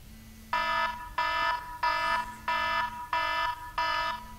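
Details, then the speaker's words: iPhone countdown timer set for 8 minutes to time a Mini Apprentice RC plane flight: six bright chiming beep bursts of about half a second each, repeating steadily, with the alarm sounding normally. "Okay. So I want to hear that alarm loud and clear."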